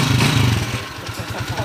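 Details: TMX 155 motorcycle single after an engine overhaul: after a brief rev it settles to a slow, even thump of about eight beats a second, running smoothly unlike before.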